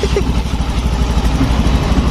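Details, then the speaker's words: Motorcycle idling, engine not yet hot: fast, light ticking over the exhaust thump from valve clearance grown too loose with use. "Biasanya kalau lama-kelamaan dipakai celah klep itu akan menjadi lebih renggang ini suaranya"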